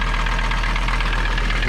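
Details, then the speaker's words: Mercedes 300TD diesel idling smoothly after fixing a no-start traced to bad connections, not the glow plug relay; no tachometer yet. Even clatter with no misses or stumbles. "running so much nicer now nice idle don't have a tack yet we're going to work on that"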